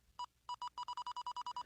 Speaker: The closer you are to the circuit, the more rapid the pulse. The farther away you lift the receiver, the less rapid the pulse becomes.